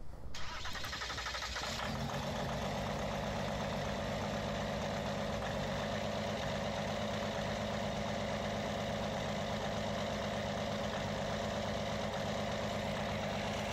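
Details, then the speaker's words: Belt drive reduction unit on an engine, first run after assembly, not yet tuned: cranks and catches within two seconds, then settles into a steady idle with a fairly even beat and no clear knock. "so it's still not tuned yet but anyway that seems to be running"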